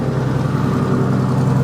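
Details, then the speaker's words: VW MK4 R32 twin turbo, first start on new setup with newly wired drive-by-wire pedal to ECU: deep idle slightly uneven and lumpy, much better than before but not perfect; idles oddly again after a small rev. "now it's not perfect but it's a lot lot better listen to that happy days now if I give it a little rev it does ID or funny again but"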